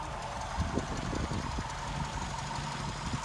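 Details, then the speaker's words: Daimler 2.5 V8 with twin SU carburettors: raising the mixture adjustment sleeve at the bottom makes the idle falter. It stumbles and hunts with uneven, irregular beats; the mixture is set wrong. "this sleeve oh right down the bottom is the adjustment of the mixture that's it now when I raise it now it starts to falter yeah it's just dead wrong"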